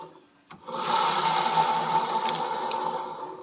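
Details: Honda ADV 160 scooter at 5,000 km: rough, gritty growl (ngorok) with uneven churn as the CVT pulley spins up, from a worn pulley needle bearing; replacing only that bearing made it smooth again.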